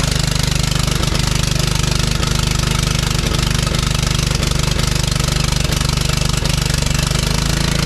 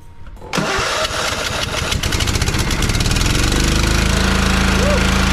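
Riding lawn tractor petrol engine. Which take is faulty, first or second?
first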